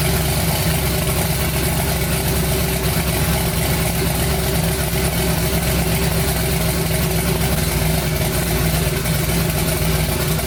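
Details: Twin-turbo 5.3 V8 swapped New Edge Mustang, first start of new build after finishing wiring: deep, steady rumble with no stumbles or misses; engine idles evenly, normal idle.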